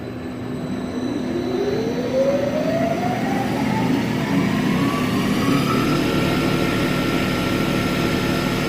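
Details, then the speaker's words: Smithy AutoMate CNC LT1440 lathe after spindle replacement, air compressor running in background; smooth whine climbing steadily as spindle spins up, no knocks or grinding; spindle quiet, smooth and healthy. "This is what I was expecting. Boy, the guys that run this, when they come in today, they're going to just flip because it's so quiet and smooth."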